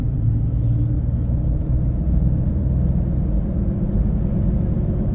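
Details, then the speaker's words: 2011 Ford F150 after solenoid replacement for warm-engine transmission limp mode: steady road rumble while driving, automatic downshifts 6-5-4-3-1 smoothly with no clunks, slips or flare; normal operation, no codes afterward. "so it'll shift 6 5 4 3 and then one that's how that always [Music] does"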